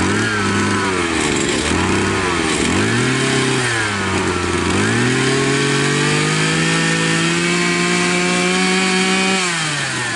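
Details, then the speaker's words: Profi two-stroke string trimmer that would not start after winter, carburetor cleaned and flushed: high buzzy note drops and climbs cleanly with throttle, then holds steady; runs normally, warning not to run the mixture too lean or the piston may seize. "и вот сейчас принципе нормально единственное смотрите повнимательнее совсем не объединяйте смесь иначе может задавать поршневую"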